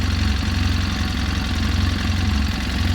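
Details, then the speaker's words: 2012 Polaris RZR 800 S idling low and loping with an uneven thump; after clearing codes, the active cam shaft position sensor signal fault returned at once, and a replacement cam sensor is needed. "Cam sensor signal fault. That's the only one active."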